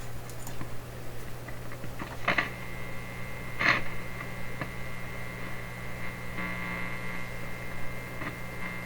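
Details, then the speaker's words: 1930s Canadian General Electric K60 vacuum tube radio during checkout: steady low hum with faint buzz and sharp clicks and pops; B+ voltage ruled out as the source, noise occurs elsewhere in the radio, still unlocated. "So this is a hint now that the beat plus voltage is not where the clicking and popping is happening. It's occurring somewhere else in the radio, or we would still hear it."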